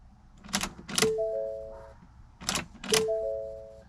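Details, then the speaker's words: Rear-wheel-drive Ford Fusion with 2016 Mustang EcoBoost drivetrain swap, key on with the newly placed BCM: two-tone cluster chime repeats about every two seconds for coolant over-temp, low fuel, parking brake, and door, hood and trunk open. "oh we got our coolant over temp that's not good low fuel level I think there's enough in there no key I have the key in it yep we got no parking brake huh"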